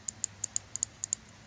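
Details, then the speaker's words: New 19 lb injectors for a 22-year-old Mustang, bench-tested off the car with power applied to check the plug clips: eight sharp, crisp ticks in quick pairs, no engine running. Each injector clicks, so the clip works. "you hear that click that means that it this plug-in is working we can go on to the next one"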